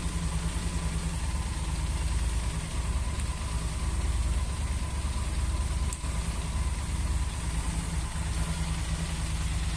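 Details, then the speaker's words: Motorcycle idling too high, about 4,000 rpm: steady fast idle with no hunting; a hole found in the small vacuum hose is letting in false air and raising the idle. "Oi tá dando lenta ela fica aqui acima do Giro fica 40 muito alta"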